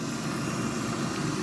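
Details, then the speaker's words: Mk2 Mitsubishi Shogun V6 idling after bleeding and part changes (incl. a sensor), previously ran as if a piston was down: dense, even rumble, no missing beats or stumble, sounds as it should. "So we changed a few of the parts, a combat sensor, all this kind of stuff and it does sound more like it's supposed to."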